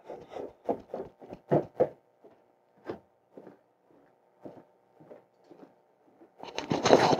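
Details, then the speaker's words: ABS plastic waste drain pipe as an upstairs tub drains, before applying Acoustidrain soundproofing: loud, uneven hollow knocks and gurgling that carry along the horizontal and vertical runs. "so hopefully you can hear that the it's pretty loud and actually goes all the way along the pipe even though even the horizontals and then the verticals are are quite bad as well"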